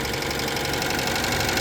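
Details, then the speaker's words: Citroën 2CV with new flat-twin engine at steady idle: constant scraping hiss with light knocking beat; cooling fan rubbing on bent cowling with cover off; plan to remove fan and pull cowling out. "Even with that cover off, we've still got some, that's rubbing there and that's rubbing there, but this cowling seems really bent and I don't know when that's happened."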